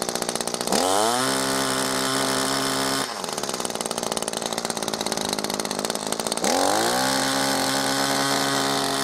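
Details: New Echo ProXtreme SRM-2620T two-stroke line trimmer, first start, possibly flooded: buzz hunts and sags, then climbs and steadies, probably as fuel gets through the carburetor. Rough first-start running.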